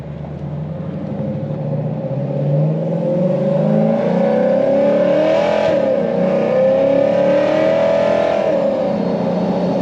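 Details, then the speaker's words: Supercharged Lexus RC F V8 showing no boost: revs with a rising supercharger whine and a fluttering chatter instead of a steady blow-off release; compressor surge with the blow-off valves not opening, a vacuum leak suspected. "Still not seeing guys hear the fluttering, that normally means that there's a vacuum leak somewhere. It should be a steady blow-off valve release. I could hear the car building boost, but I wasn't seeing any boost. And I was hearing a lot of surge on the compressor, which meant that the blow-off valves were not opening"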